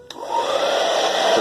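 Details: Philips hair dryer running smoothly with a steady airy hum, no scraping, after repair; a shifted part had let the turbine blades scrape the plastic guards, causing noise then stopping.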